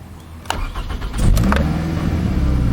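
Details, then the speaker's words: 2005 Toyota Camry running rough with check engine light on, just after an oil change and maintenance-light reset: click, crank, catch, then a low uneven fluttery idle that dips hard in gear; throttle body suspected. Cold start flare then rough idle. "then if i put it into gear i'll put in reverse really hard slam pack up a little bit throw it in the park dips really hard comes back up just really fluttery"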